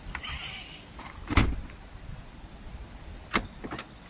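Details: Land Rover Discovery 3 tailgate after replacing the faulty release switch: one sharp clunk as the latch lets go, then a second thud a couple of seconds later; the tailgate release now works normally.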